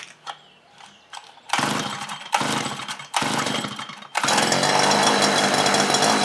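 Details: Earth auger's small two-stroke, already cleaned by another shop, starts hard and catches in rough bursts that cut out when throttled; fuel starvation, swollen carburetor pump diaphragm suspected, bogging and stalling under throttle.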